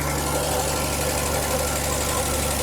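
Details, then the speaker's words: Ford Falcon, first run since 1991 after fixing fuel pump wiring: steady V8 idle with faint constant bearing-like whir; owner suspects the water pump is going out. "Now, there's a little bit of a noise on it and I can't figure out what it is. It sounds like a bearing or something, but"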